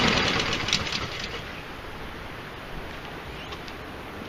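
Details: Almost new Husqvarna 7021R mower fires up loud, then settles into an even, steady buzz with no misses or surging, running without a blade fitted after freeing the blade brake cable and seized right wheel; normal running.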